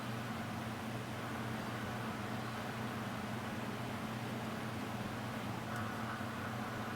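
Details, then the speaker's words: Koolance TMS-200 fan/pump controller after the cold-boot beep fix, testing fan and pump headers: smooth, even fan hum with steady airflow hiss and no beeping at all; controller and fans running normally. "So I'm going to run some tests on it, make sure all the fan headers work and the pump header, and you can see it works perfectly fine, no beeping."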